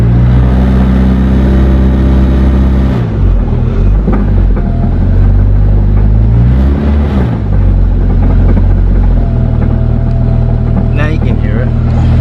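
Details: Car on jack stands, running: engine drones and revs, a dull clunk appears as revs rise and drop off; drivetrain clunk, source not found, owner suspects gearbox, next removing shafts.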